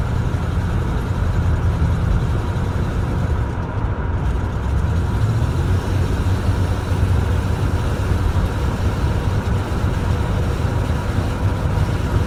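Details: 1983 307 V8 engine: heavy, low idle that lopes and wavers instead of holding an even beat; rough idle.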